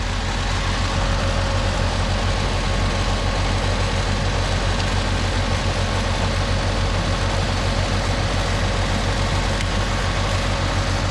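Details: 1987 Pontiac Acadian idling after the plug wires were reseated, during a check before a road trip; steady, even idle with a smooth low drone and no misses or ticks, running cleanly.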